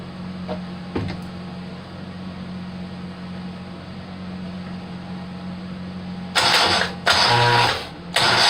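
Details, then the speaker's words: Rebuilt Kohler Command 18 hp engine, first start attempt, carburetor fed by a funnel since the fuel pump hose is soft and falling apart: background hum, two short cranking bursts, never fires; stuck fuel shutoff solenoid blocking fuel to the jet. "here's an attempt at a first start with the carburetor working free with a funnel as the fuel system"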